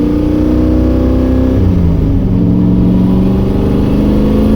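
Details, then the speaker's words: Miata under hard acceleration after months of misfire, fixed by installing BTR 660 valve springs: revs climb cleanly and evenly with smooth firing and no stumble or missed beats; engine pulls healthy again. "oh [ __ ] a it works again oh man oh that felt so [ __ ] good"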